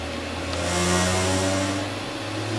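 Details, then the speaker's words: LEC 1 electric vehicle regenerative acceleration demo on about a 120 V supply: the motor spins up smoothly with rising tones toward 700–1000 RPM, over the whoosh of the motor's cooling fan; a normal run-up. "other noise you can hear is a fan, which is to cool the motor that's running."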